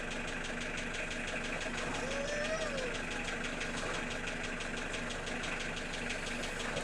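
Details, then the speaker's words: Unexplained engine knock at steady idle: a regular, even light knock that resembles a connecting-rod knock, but the owner inspected the rods and says it isn't them; source not pinned down. "похож на шатунный, но это не шатунный нифига, потому что шатуны я себе скрывал, смотрел."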